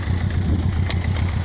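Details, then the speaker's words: Yamaha XJ900S Diversion after curing a misfire blamed on ethanol supermarket petrol, idling at about 1000 rpm: smooth, even low burble with a steady beat and no stumbles; normal idle, engine ticking over cleanly. "oh ah so there we are the tick over his nose over just just to bang on a thousand which is just where i like it and look at that purring like a kitten after three months i've got my bike back"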